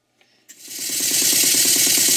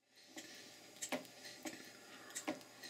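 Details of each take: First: Mary model beam engine after slide valve and eccentric timing set and big-end cotter pin tapped tight: steam hiss rising into fast, even chuff about nine beats a second, no clanks; running well at speed, cutters stayed in. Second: Mary model beam engine, first run after slide valve and eccentric timing set: light uneven clunks about once a second over soft running hiss; knock later traced to loose crank pin and missing cotter pin in Watts parallel motion.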